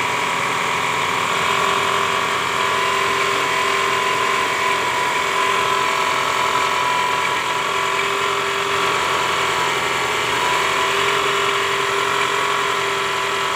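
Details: 2010 Toyota Camry 2AZ-FE (ACV40R) engine running: very rough, gravelly mechanical whirr with gear whine, caused by a loose balancer shaft with worn gear surfaces.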